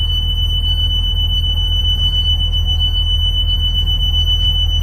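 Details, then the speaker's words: School bus pre-trip inspection, with the rear emergency door opened and the engine idling. A steady high-pitched electronic beeper near 3 kHz sounds over the low rumble and the door opens freely: emergency exit alarm working. "We just checked our back door. We opened it, you could hear the beeper, and it opened freely."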